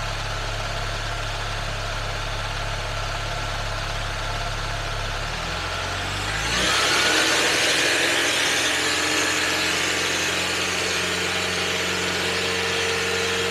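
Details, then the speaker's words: Charging system test: engine rises from idle to a steady even hum held at 2,000 rpm for 5 seconds, no knocks or whine; charging result normal. "Charging is normal, so"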